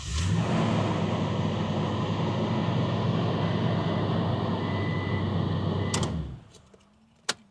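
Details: 2018-2021 Toyota Tundra started with a newly programmed key: engine settles into a smooth, steady idle with even low hum for several seconds, then shuts off cleanly; normal engine start.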